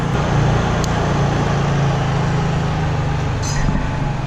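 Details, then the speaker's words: Portable generator at a cabin with Eco throttle switched off, running wide open: loud, constant drone holding steady pitch, no hunting or surging; normal full-throttle running. "if you would be running things that are real demanding you can turn the Eco throttle off and that's as loud as it will ever get that's running wide"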